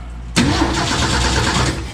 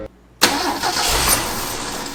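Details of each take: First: 1965 Ford F250 with 300 six-cylinder and 4-speed manual, parked about 17 years, cranking with the coil wire off the distributor to check spark: brisk, even starter churn with no firing; cranking sounds healthy. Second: 1965 Ford F250 300 six, parked about 17 years, start with choke closed and fuel poured down the carburetor vent tube: catches with a sharp burst, revs briefly, then fades out; owner suspects no fuel reaching carburetor or stuck float.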